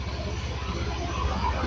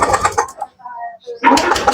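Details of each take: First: Stalled fuel-injected Honda Beat scooter restarted after oil was injected into the cylinder to free carbon holding the valves open, which was leaking compression: engine catches straight away, settles into steady even thrum, slight smoke from the oil; running normally. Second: Stalled fuel-injected Honda Beat scooter during the injector check: two long bursts of starter whirring with cranking chuffs, no start; the injector is spraying weakly, cause either the ECU or the injector, before cleaning.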